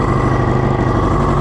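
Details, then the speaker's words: Kawasaki Ninja motorcycle engine bought for a Reliant swap, one spark plug suspected stuck in the head, vacuum lines off; uneven lumpy idle with wavering low beat; rough running because the fuel tap was off. "so I had the fuel switch off so that's on it's running a lot smoother now but I'm still really worried about that plug"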